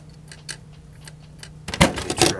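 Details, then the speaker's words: Trash-picked JVC PC-X560 boombox CD player: faint irregular clicking over a low hum as the drive keeps searching without locking on, then loud handling knocks; fails to read the disc, cause unknown. "But sometimes it also will try to read, and it'll click. I don't know if you can hear that or not."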